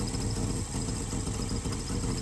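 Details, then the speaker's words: Carbureted V8 idling with vacuum advance disconnected while a digital timing light is adjusted; timing unchanged: steady, even low rumble with a smooth, unchanging beat, no knocks or misses; clean idle. "timing did not change. You can hear the engine. It didn't change."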